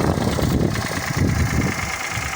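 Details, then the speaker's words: Toyota Passo/Daihatsu Boon 1KR-FE petrol engine at idle: uneven pulsing low knock, present about two months, felt near cylinder one; valve cover and sump inspected, no metal shavings found, cause unknown. "вот появился непонятный стук уже примерно месяца два я с ним есть вот визуально где-то идет первого цилиндра по ощущениям"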